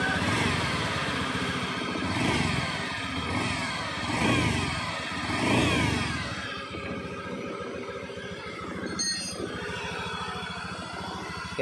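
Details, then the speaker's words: 2019 Honda Scoopy scooter revved in bursts: high whine sweeping up and down with each throttle blip; suspected worn crankshaft bearing or other engine bearings, possibly a bearing in the CVT case, not yet confirmed. "untuk bunyi seperti ini umumnya ini berasal dari laher kruk as Hai ataupun lahir glue mesinnya yang sudah aus"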